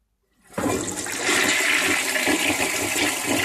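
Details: 1958 Canadian Standard Cadet toilet, made May 1958, final flush after clearing mineral deposits and removing the water dams: a strong, steady rush with an even swirl and gurgle; a healthy, full flush, much improved.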